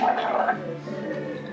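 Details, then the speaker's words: KTM 450 XC-W with pressure in the radiator hose, engine off and radiator cap removed, coolant low: soft bubbling gurgle at the radiator neck; owner suspects a leaking head gasket. "Hear that? So I have a sneaking suspicion that the head gasket's leaking."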